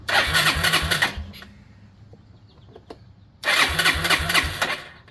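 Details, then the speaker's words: 2001 Yamaha Breeze YFA1 with newly fitted aftermarket carburetor, fuel tap switched to reserve: small single catches quickly and runs in crisp, even bursts, no stumbling or popping; runs well, unlike the troublesome OEM carb. "Yeah, look at that. Very nice. These guys definitely get a good one right out of the box."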